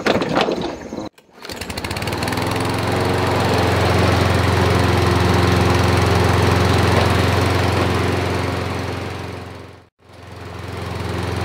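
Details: Toro 22-inch self-propelled front-drive mower after full recondition: starts on first pull, holds a steady even buzz at constant speed with no sputter or hunting; running right.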